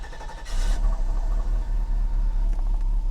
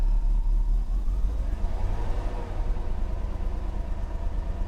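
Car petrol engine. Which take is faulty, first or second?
second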